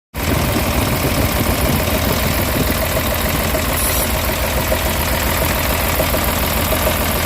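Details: Caterpillar 966H C11 diesel engine at idle: loud steady clatter with a faint regular tapping knock riding over it; cause not pinned down.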